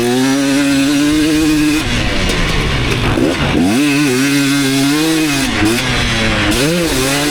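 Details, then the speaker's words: 2019 KTM 250SX two-stroke, Lectron Billetron 38 Pro carb, on track: rattly edge on pulls under heavy load at about quarter throttle; pinging badly, owner blames lean torque jet. "so I think that actually is the torque jet that I need to uh rich in up quite a bit so I'm going to go ahead and do that it is pinging pretty bad"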